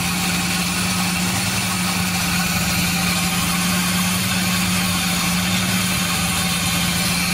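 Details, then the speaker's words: 1976 GMC Sprint idling with the accessory belt removed: smooth steady idle, low even hum, no squeal or chirp; earlier unexplained noise has stopped; pulley and AC compressor not locked up, fan clutch spins freely, not running hot. "i didn't know what that noise was that's better"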